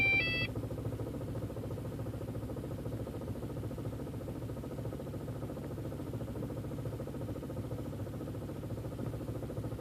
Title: 1.8t aww rough idle